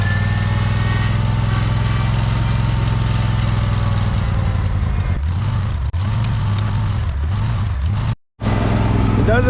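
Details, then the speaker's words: Free John Deere 317 lawn tractor, repowered with Kohler Command 18 hp engine, sat many years: idle wavers, sags and surges unevenly; rough idle that clears with throttle, owner suspects old gas of unknown age. "probably running some of that old gas out of there I don't know how old that gas is that's in there"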